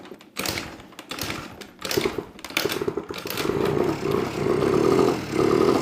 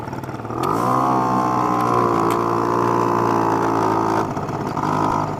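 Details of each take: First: Honda Spree two-stroke moped after its oil-clogged exhaust was cleared by burning it out: a few sputtering cranks, then a steady buzz with light throttle blips; it now runs normally. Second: Honda Spree moped two-stroke running after clearing out the exhaust; carburetor still a little off, idle a bit high, buzzing fast and steady, revving briefly and settling high instead of dropping low; owner plans to turn idle down.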